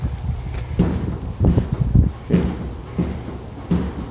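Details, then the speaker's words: 1937 Dodge Brothers door after hinge adjustment: several dull, heavy thumps with a hollow knock as the door shuts, something on the door striking the body; owner suspects the door was bent from blowing open. "it might have been that this uh door blown open so many times that it bend it"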